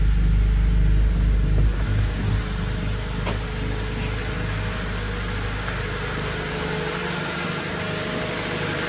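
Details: 1999 Honda Civic, manual, started just after a fuel filter replacement: the engine catches quickly, then settles into a steady, even low hum with no misses or knocks; a healthy start and idle.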